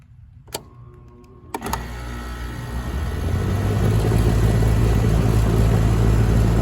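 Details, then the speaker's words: 1996 Heil AG030GB1 2.5-ton condenser, SureStart SS1B16-32N soft starter replacing hard start kit, about 55°F, raining: contactor clicks, hum builds gradually with no hard thump; start about 26 amps versus 37 before; soft start working. "It definitely did not go up to 37. So we'll see if this works."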